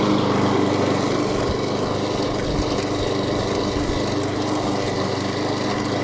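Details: Echo 190cc gas lawn mower, new, twin blades, mulching with mulch plug; after sitting about 4 days, usually 2 pulls to start. Steady, even single-cylinder drone at constant speed, no misses, knocks or rattles; normal running.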